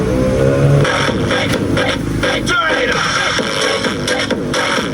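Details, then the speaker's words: Konzert AV-502C amplifier (original) playing music: output sounds harsh, cracked and distorted, worse on one channel. "parang basag yung tunog no? Lalo onong isa oh. Mapangit yung tunog."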